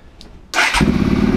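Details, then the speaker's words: Rebuilt KTM 525 supermoto single-cylinder, first starts after engine rebuild, not yet run on the road: catches after quick crank, settles into uneven, slightly lumpy beat; running rough. "o at starting it it hasn't been run yet actually on the road so the engine's a bit bit lumpy at the moment after it's been rebuilt"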